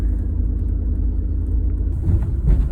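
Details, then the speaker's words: 1999 Ford Expedition idling very rough and shaking, with a deep, uneven, stumbling lope. It has bank 1 and bank 2 lean codes (P0171, P0174) and P0401. A partly stuck-open EGR valve, leaking intake plenum gaskets or the MAF sensor is suspected. "sounds sounds bad though right it's idling really rough good assistant to lean bank too so sure what to do with that yet"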